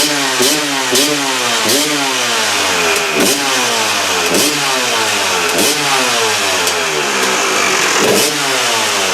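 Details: KTM two-stroke after replacing reed valve: crisp blips about one sharp rev per second, climbing and dropping cleanly, no bogging or misfire; sounds much better than before; normal revving.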